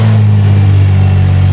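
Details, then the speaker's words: 2004 Infiniti G35x with a used ECM, idling on Nissan's MAF backup strategy with the MAF unplugged after it wouldn't take throttle. Steady low even hum, confirming a MAF fault; debris on the sensor suspected. "So we got a MAF issue for sure."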